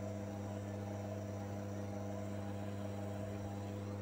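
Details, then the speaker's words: Manual lens faceting machine: constant low motor hum at an even, unchanging pitch; spins smoothly with no knocks or rubbing, normal operation. "Saat melakukan pemotongan miring, kita harus tetap tenang. Tangan kita harus konsisten dan tidak bergerak ke samping. Ikuti saja arah putaran batu gerinda atau batu miring."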